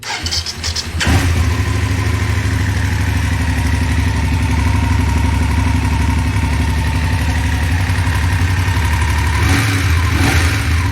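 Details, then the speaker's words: BMW F850GS twin at about six weeks and roughly 1,500 miles, starting and idling with fast light metallic ticking; suspected cam chain tensioner issue, unconfirmed. "hey i got your email with that video the thing sounds like it's got a cam chain tensioner issue is what it sounds like"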